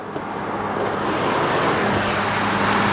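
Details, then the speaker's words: Engine running after replacing a screaming idler pulley beneath the alternator (alternator was not the cause): steady even hum, belt drive quiet with no screech or chirp; normal running after repair. "As you can hear, sounds perfect now. It wasn't the alternator. It was the idler pulley right underneath of it that was screaming."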